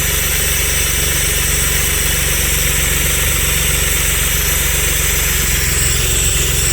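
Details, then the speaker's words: Stage 3 Audi Allroad petrol engine at idle: an uneven, lumpy pulse and steady hiss from a vacuum leak, a forgotten vacuum hose left unconnected, gradually smoothing out. "this is how this car ran when I first hooked it up and you can hear that it's getting better and better so I think it's good but it's just vacuum leaked that I had everything hooked up"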